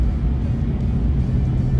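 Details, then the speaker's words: Gen 1 Ford Raptor, 11 years old, 125,000 miles, coasting after rear differential gears were replaced to fix a rear-end whine: only low road rumble, no gear whine rising or falling with speed; rear differential now quiet. "But this thing is quiet as a mouse. I had no idea how loud those gears actually were until I got in this thing with them fixed."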